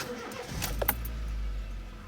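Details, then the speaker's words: 2003–2008 Honda City/Jazz after ignition coil cleaning and reinstallation: brief crank, engine catches cleanly into a quiet even idle with no stumble or misfire; no engine light. "okay no problem right so i think it is good and successful diy"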